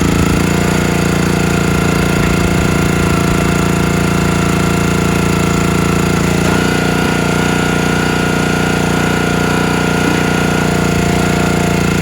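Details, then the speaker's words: Countyline 25-ton log splitter small engine, carb cleaned and jets cleared after months sitting, chugs with uneven stumbles and stalls under load while splitting; owner suspects carburetor fuel delivery, possibly mixed-up gaskets, cause not found. "so underload it just won't stay running you can see it's stalling out got to be carburetor"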